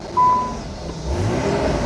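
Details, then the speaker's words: Nissan 300ZX Z32 with refreshed VG30 engine, started off a jump pack after exhaust leak at the left manifold was addressed: short beep, then revs and holds a smooth, much quieter, muted roar with no puffing or ticking; exhaust sealed, normal. "oh, ça a l'air beaucoup plus silencieux"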